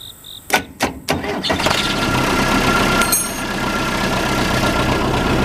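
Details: Case 580C diesel backhoe, unstarted for 10 years, restarted after first ether start: a few cranking clatters, then it catches and settles into a steady, even idle; normal start and idle.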